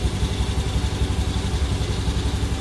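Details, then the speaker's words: Used Beat scooter at about 97,088 km, idling: soft, even putter, engine still smooth and no whine, rattle or grinding from the automatic transmission; quiet CVT. "kita dengarkan masih halus kan suaranya. Di bagian matic juga belum berisik."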